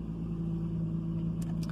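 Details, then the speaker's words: 1996 Nissan Maxima engine idling with a steady low drone and slight uneven puffing from an exhaust leak. "so yeah you can hear this the exhaust leak"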